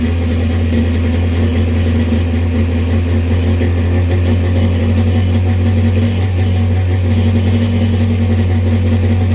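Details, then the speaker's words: 1995 Sea-Doo XP 951 two-stroke after carb installation, idling steadily at about 2,800 rpm, slightly high, since 951s tend to run away; the idle knob needs backing off a hair. "sounds good idle is almost where we're at you don't want to be at 3000 with the um 951s they do like to run away um so we're about 2 800 probably need to crack it down a little bit"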